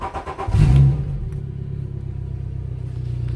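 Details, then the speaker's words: 2006 Southern Skimmer Carolina Skiff outboard, not run for about a month, started up. It catches within half a second and settles into a smooth, even low-rpm burble with no misses or knocks. Runs good, needs a little fuel. "this runs good, low RPMs, needs a little bit of fuel."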